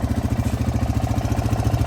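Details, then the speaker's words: Honda Foreman 500 ATV after valve adjustment and cover replacement, with new generic piston and cylinder: steady single-cylinder idle with a faint light tick; owner suspects possible piston slap, but it now sounds pretty good. "But it's not terrible, it's just a little tick, tick, tick."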